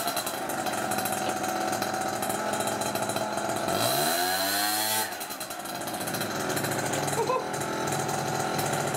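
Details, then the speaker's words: Peugeot Speedfight 2 50cc two-stroke scooter, after starter wiring, variator and carb repairs, riding test: high buzzy engine pulls strongly and holds revs as it passes, pitch sweeping smoothly; ran over 40 mph, running clean and healthy. "that is one very fast little ped let me tell you okay that is one very fast little ped rose really well cracked over 40 mile an hour"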